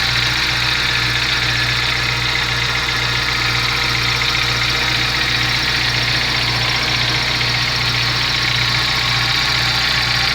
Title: Gol g4 barulho no motor